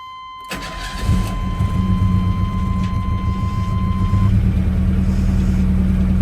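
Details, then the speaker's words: Chevy S10 with hard starting, after replaced injectors with damaged plastic pieces: cranks briefly, catches quickly, settles to steady even idle, no stumble; fuel pressure now rises with throttle, bad injectors and pump look like the cause. "That's a lot better. Definitely had some bad injectors in a fuel pump, looks like."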